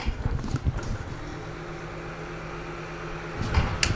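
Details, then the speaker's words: Desktop PC being rebuilt in an old case after a fan replacement: one fan still makes a loud, bad low hum between handling bumps, less severe than before; exact fan unidentified. "Joku tuuletin kyllä pitää vieläkin ihan hirveetä ääntä. Ei kuulosta hyvältä."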